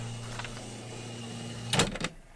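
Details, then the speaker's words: New-in-box 1985 Epson DX-10 daisy wheel printer, daisy wheel and ribbon fitted, top left open, just switched on: short whirring carriage travel then a couple of soft clunks as it stops; carriage glides freely, normal movement. "that glided across no problem"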